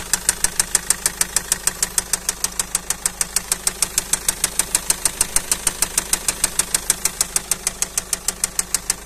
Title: فيديو صامت فيه مشكلة صوت خبطة, طقة, تخبيط ,طقطقة, فى محرك السيارة